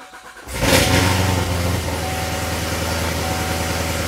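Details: C7 Corvette V8 with headers, cold start after fitting NGK Iridium plugs one step colder gapped to 0.030 plus MSD wires and DEI boots. It cranks and catches quickly, flares up in revs, then settles to an even idle; a clean, healthy start.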